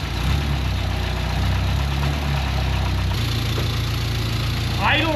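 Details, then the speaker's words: 1961 Mk1 MG Midget roadster four-cylinder, first start after sitting 54 years since 1971, no cooling system fitted: smooth, even low idle with oil pressure about 60–65 psi, no knocks or misses; normal idle. "Sounds really good. Got oil pressure."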